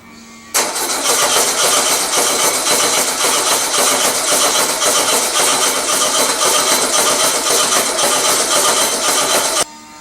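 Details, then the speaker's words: Engine after a generator swap, test start with ether: fast, even starter cranking about four beats a second for nine seconds, never catching; no fuel because the fuel petcock was shut instead of opened. "now what are the odds that i shut my oh i shut my petcock instead of opened it"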